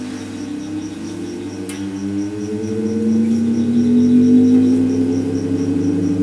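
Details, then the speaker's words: Vintage electric fan, unidentified make, after rewiring and motor service, test run on a variac with voltage raised slowly: low electric hum climbing in pitch with soft steady ticking from the turning fan; running smoothly. "Well, I'm ready to give this fan a test run. So what I've done, I've plugged it into a variac, so I increase the voltage slowly and see how we go."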